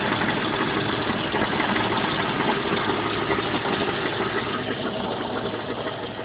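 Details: Jeep Cherokee at idle, loud rattle-knock about three times a second, loudest on driver's side, gone above 1000 rpm, sometimes back under light load; sounded like a rod bearing but was finger-tight flexplate-to-torque converter bolts.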